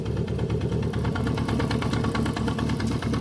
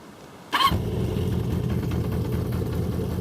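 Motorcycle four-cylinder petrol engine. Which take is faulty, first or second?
first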